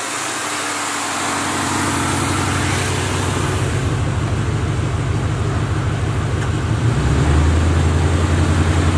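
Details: Box Chevy V8 during a return build, with good oil pressure and no leaks: a steady low burble with a regular pulse that firms up slightly; a smooth clean idle with no misfire or knock.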